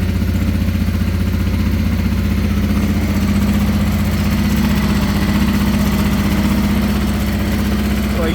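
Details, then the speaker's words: 1989 Honda Transalp 600V, ice-cold morning start on full choke: steady, even V-twin idle with smooth regular pulse at fast choke speed, no knocks or rattles; normal cold idle. "I usually let it warm up for about 30 seconds, and then I put the choke down halfway."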